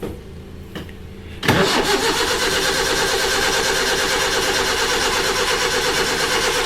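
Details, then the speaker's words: Suzuki with small Datsun motor, previously running on three cylinders; after new spark plugs and refitting distributor cap that may have been put on 180 degrees backwards, a loud churning crank about three beats a second that never fires; owner suspects ignition/distributor problems. "all right so there's clearly some issues all ignition related"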